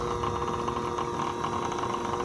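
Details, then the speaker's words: Tanzu battery portable fan sold as brushless but actually fitted with a brushed motor: steady electric drone with a mid-pitched hum and buzz that grows louder at higher speed; unstable, noisy motor hum. "Hidupkan, itu suara dengungnya, itu mulai suara dengung. Nah, ini dengung khasnya dari dinamo biasa, dinamo belum brushless, bukan brushless, itu berdengung ya."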